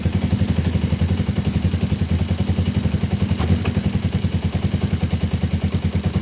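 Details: Kawasaki ER-5 twin, stored 2–3 years and previously dying at full throttle, idling cold on a weak 10 V battery just after carb refit with new fuel-inlet O-rings: chuffing idle that stumbles, uneven pulse to pulse; uneven running, likely fuelling.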